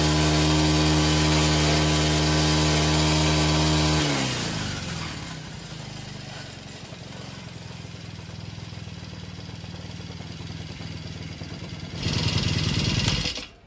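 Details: Four-stroke Green Farm brush cutter whose owner complained of heavy vibration on acceleration; the blade was checked unbroken. It revs evenly for four seconds, drops cleanly to a steady idle, gives one quick blip and shuts down, sounding balanced and healthy.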